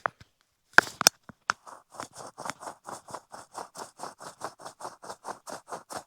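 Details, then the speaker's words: Bicycle pedal bearing after pedal removal, held to microphone: gritty rasping clicks about three or four a second as it turns; lock ring is seized and collapsed onto the bearing from slipped tools, causing the grinding. "a lot of that noise is now actually this lock ring is seized onto there."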